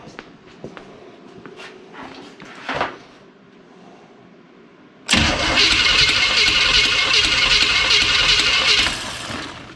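After some quiet shuffling, the starter spins briskly and evenly and the engine catches and settles into a steady run.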